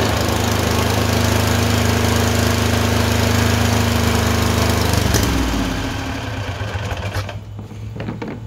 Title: Tecumseh 22HP surging - alternate misfire on each cylinder - random